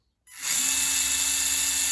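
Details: Losi Micro B with an EcoPower 45-turn brushed motor at 100% throttle, rear wheel off, tachometer reading about 5,500 rpm: a steady high-pitched whine at one even pitch with no grinding or catching. The motor sounds healthy.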